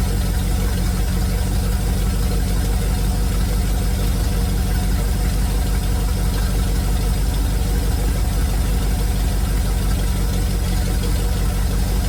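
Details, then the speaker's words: 1971 Chevrolet C40 truck V8 at idle after carb cleaning and idle mixture adjustment: steady loud idle with dull, uneven low thumping; the truck's exhaust is shot and that is the knock heard. "The exhaust is shot on this truck, and that's the knock you're hearing."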